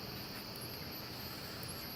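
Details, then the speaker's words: Wheelock WMT 24 (117 candela, slow flash) and System Sensor MASS12LO strobes running: thin steady very high whine over soft hiss from the flash capacitor charging; the left strobe's high-pitched squeal is quite loud and annoying. "yeah you can tell you can hear the capacitor right there but it is quite loud"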